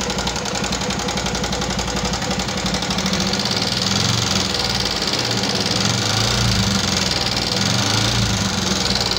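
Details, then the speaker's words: 2014 Yamaha Jupiter MX carburetor motorcycle, rough "kletek-kletek" sound: rough idle with rapid light clatter about four a second over the running engine; top-end ticking, cause suspected, not confirmed. "Oke teman-teman sudah mendengarkan sendiri suara kasar pada motor Jupiter MX karburator ini yang akan mekanik bengkel kerjakan. Seperti apa suaranya, ngeletek-ngeletek, kletek-kletek, seperti itu ya teman-teman ya."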